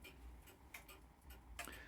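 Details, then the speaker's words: Serviced grandfather clock movement in workshop, levelled and checked for beat: quiet, evenly spaced tick and tock with a brief handling knock; beat is even and correctly set, yet clock still stops after a short time. "Next thing to check that there was an even beat of the clock. In other words, a regular tick and tock, tick and tock equally distant from the centre of the pendulum."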